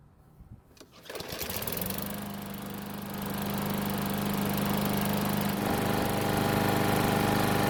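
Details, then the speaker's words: Cheap used Bolens mower that wouldn't start, after repair and fresh fuel, hot after several minutes running: starts easily and settles into a steady, even hum, though owner notes it could run smoother; normal running. "It's been running for several minutes, which is plenty of time to get the engine good and hot. So, let's see how it starts back up. The good news is that it's really easy to start hot or cold."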